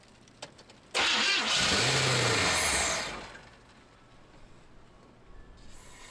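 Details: 1978 Chevy C10 square body after adding 4 or 5 gallons of fresh gas: about two seconds of loud starter cranking that stops with no catch; cranks but won't fire, cause not confirmed.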